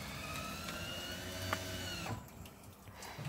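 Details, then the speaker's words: 2017 Bailey Unicorn caravan motor mover engaged against the wheels, driving forwards, backwards and turning: steady electric motor whine holding pitch, no grinding or clunks; mover working fine. "backwards turn as you can see so that makes me working absolutely fine"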